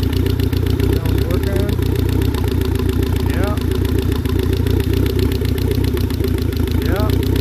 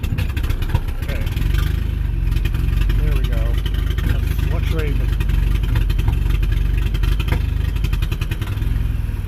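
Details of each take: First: Steady, even low engine drone with no popping or misses, all four cylinders firing after the fouled spark plugs were replaced with new ones; the engine sounds healthy now. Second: Slow, lumpy idle around 500 rpm with no throttle, irregular hit-and-miss beat like only one cylinder firing; misfire from fouled spark plugs, after Sea Foam treatment.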